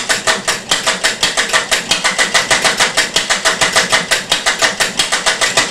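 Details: Homemade one-valve engine with noisy ratchet cam drive: sharp clattery pops about three per second, uneven spacing and swelling strength; runs badly from valve timing jitter, with very early injection suspected of causing poor atomization.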